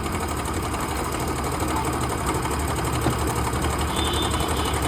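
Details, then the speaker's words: Yamaha Ray ZR scooter after carburettor slide refit (slide pin was broken), kick-started on a weak battery: slow, uneven idle about three beats a second; idle set too low, to be adjusted up so it doesn't die. "कर देते हैं हल्का मतलब कि बंद नहीं होना चाहिए उस अनुसार एडजस्ट कर लेंगे"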